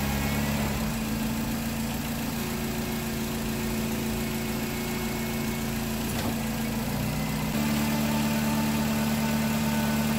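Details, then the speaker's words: 2010 Nissan Cube with a replacement CVT, first start at idle: a thin constant whine that doesn't change; nothing on the dipstick so fluid is to be added; owner unsure if it's normal until warmed up. "don't like that whining noise it's making maybe that's normal maybe once the warm up the circulate it'll sound a lot better"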